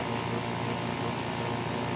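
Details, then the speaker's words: Carrier remote-control window-type air conditioner reported as not running. The compressor, wired directly to a separate plug, runs with a steady even hum and faint buzz, no knocking, gets warm and frosts up, so it is judged OK. The fan motor bearing is to be replaced. "Yan ang kanyang compressor. 2.3. umaandar siya."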